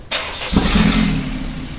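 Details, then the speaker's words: Toyota MR2 with a swapped Honda K24 engine and a large muffler, first start after installation: quick crank, then it fires and settles into a soft, quiet, smooth idle with no misfire, a little louder on light throttle. "wow she's quiet rev it up a couple times yeah there you go there you go yeah she's she makes a little noise when they give her a little bit of gas there yep idling pretty smooth sounds good I like it"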